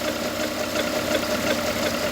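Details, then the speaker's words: Small car with about 90,000 miles, recorded at idle with the hood open: a gritty, rough whirring from low in the engine bay that doesn't change, coming from one of the pulleys, which is wearing out. "but yeah you can hear that noise can't you coming from down in there it's one of the pulleys"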